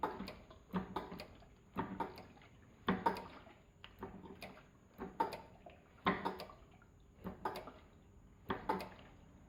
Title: フロントからカタカタ異音がする 場所特定のみ 本日の作業から #shorts motor cycle strange noise when braking